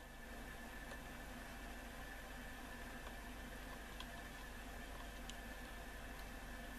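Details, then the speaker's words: Roberts RT22 radio on VHF/FM: only a faint even hiss, a brief trace of audio then nothing; long and medium wave work, fault not cured by capacitor changes; finding: FM reception dead, hiss only. "There is actually a big tiny amount of audio comes through for a second, but then it disappears on us."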